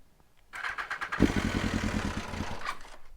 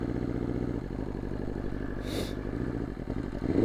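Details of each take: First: 2020 BMW S1000RR, cold start at about 45°F in December, coils previously failed: half a second of starter whir, then fires cleanly into quick, even, crisp idle; owner suspected slightly low battery. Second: 2020 BMW S1000RR inline-four with Bren tune, warmed up after cold start on a 45°F day: uneven clattery idle and flat, lumpy rev with big power loss; at least one, possibly two ignition coils failed, second coil failure on this bike.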